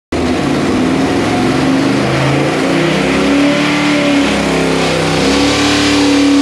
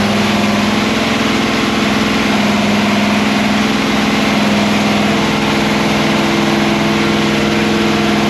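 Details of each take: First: 408 ci small-block Chevy with a Quadrajet on the dyno, with ignition breaking up at about 5600 rpm (448 on the last run); steady high-rev scream with a ragged, stumbling edge near the top; high-rpm misfire. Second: Freshly built 408 ci small-block Chevy "sleeper" with a Quadrajet on the dyno, idling during initial run-in with a timing curve loaded; stock-like idle, big V8 ticking over smooth and even with no misses, knocks or lope; normal.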